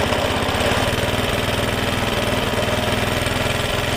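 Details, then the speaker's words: Suffolk Punch mower, after fixing the locked drive that would not disengage: even putter at a steady pace, no misses or knocks; runs, cuts, drive works and disengages as it should. "All runs, cuts, drive works, disengages exactly as it should do. Right, that's a little Suffock punch now, all running exactly how it should do."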